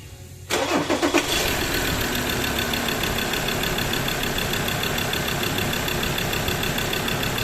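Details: Mazda BT-50 3.2L diesel that cranked but wouldn't start from a failed cam angle sensor: turns over a moment, fires within a second, then settles into steady, even idle clatter; normal start.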